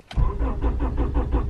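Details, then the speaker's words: Slammed Honda Prelude in snowy weather, daily hard start needing pedal pumping and six to ten tries: steady starter cranking about six turns a second that never fires; cause not confirmed. "every day I have to like pump the gas pedal to put some fuel into it crank it nothing this takes me at least on average six to ten times to get this car started every single day"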